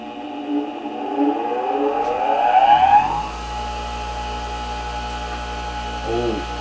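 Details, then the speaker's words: New Hando bench grinder (10.9 kg boxed) at its first power-on: the whine climbs smoothly over about three seconds to full speed, then settles into a steady, even hum without rattle; vibration is lower than expected, with a slight table shake when touched; a healthy start. "độ rung không lớn như tôi nghĩ. Chà, không có rung, nhưng hiện tại, đó là một tiếng ồn rung động không Thực sự làm phiền tôi ngay cả khi tôi sử dụng nó ở hiên vào ban ngày."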